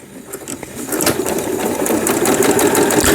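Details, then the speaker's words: Riccar Quilt Mate sewing machine after repair of lower-shaft hook gear timing, knocked out by sewing thick fabric and forcing tangled thread, motor previously strained: quick, even stitching clatter about three beats a second, reverse and zigzag working, tensions set; normal sewing. "네, 후진 정상적으로 되고 다시 스타트 하니까 박음질 되고 있고 세워주고 지그잭 바느질."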